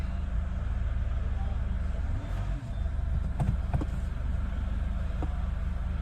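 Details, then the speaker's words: Chevrolet Cruze, previously no start and ignition shutting off, ECU/ECM repaired; push-button start with clutch pressed: steady even low rumble, smooth idle without misses, knocks or hunting; normal idle after repair. "इसका ignition भी आ गया और हमारी गाड़ी भी start हो चुकी है"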